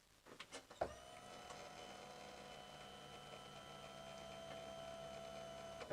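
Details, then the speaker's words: Ford Territory 2.7L V6 turbo diesel before fuel filter replacement, mic under the left rear by the tank: key-on brings a steady electric hum for about five seconds, then a clean stop, the low-pressure pump priming normally. "we can listen at the left hand rear wheel and hear if we can hear the buzzing of the low pressure fuel pump."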